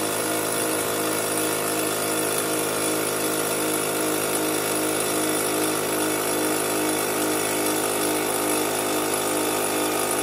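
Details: Fortress 5 gallon air compressor after pressure switch replacement (part #56402): steady even motor-and-pump drone, constant pitch, no knocking, grinding or stumbling, pumping up before cutting off at 225 psi; normal run.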